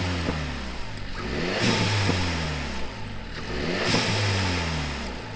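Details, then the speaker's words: Renault Megane RS Trophy with Forge smart spacer, checking a boost leak found by smoke test: revs climb and fall twice, each lift-off giving a short airy whoosh heard from the cabin; OEM recirculation valve working normally. "I listened to on the GoPro and you can hear it but from inside the cabin I could see I could clearly hear that the research is working"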